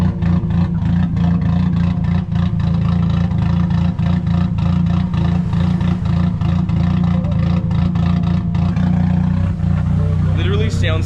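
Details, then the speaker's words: Nissan S15 running very rich, needing a tune, with new dump pipe: deep, uneven, loping idle with irregular pulses and a clattery edge, rotary-like. Rough lumpy idle from the rich mixture. "and sounds like it has a rotary but definitely needs a tune"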